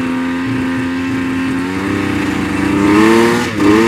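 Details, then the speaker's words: 1999 Yamaha Vmax 700 triple snowmobile, warmed up: two-stroke idles well and opens up at high rpm but sags and bogs at mid throttle; one plug reads lean, cause not confirmed. "well seems to idle well it opened up real good when you get into the high RPMs but like mid throttle she's just [Music] bogging"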